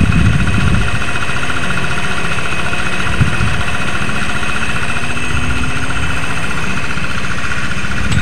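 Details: Yamaha NMAX at idle with CVT V-belt and rear pulley removed to isolate crank: even, steady idle with no knocking or rattle; crankshaft and con-rod fine, fault confined to CVT.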